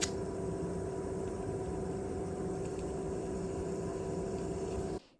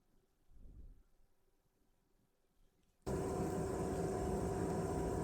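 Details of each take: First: PS3 DualShock 3 controller spare rumble (vibration) motor, salvaged untested from a faulty board, bench-tested as a replacement: steady even buzz and constant hum that stops cleanly when power is removed; runs fine, normal. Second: PS3 DualShock 3 (VX8) small rumble motor, removed from the board and bench-tested: a steady buzzing whir with a loose, rattly edge. It sounds worn compared with the more solid replacement and is the faulty motor.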